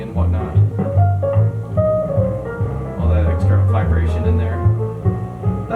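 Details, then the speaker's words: 1970s Altec 604-8G studio monitor woofer from a hard-driven broadcast speaker, with the horn driver already found open: rough buzzing rattle on bass notes in music playback, suspected voice coil rub, sounding worse than the other unit. "I was listening earlier too to the woofer um it just sounded very uh distorted and just not ideal so I don't know if you can hear that but [Music] you hear all that buzzing"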